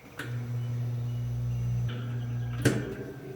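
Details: 36-inch drum shop fan, bearings spin freely: switched on, steady low mains hum while blades don't turn, no spin-up, then a clunk; motor fails to start due to a bad start capacitor, fixed by replacing it.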